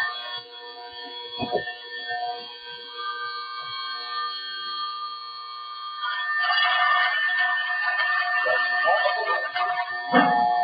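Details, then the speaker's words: Electromagnetic levitation coil: steady electrical buzz with many stacked tones, vibration from a ferromagnetic laminated core whose sheets weren't pressed tightly. "e esse campo magnético ele está sendo concentrado por lâminas de material ferromagnético, né, e essas lâminas não foram bem prensadas, então causa uma vibração."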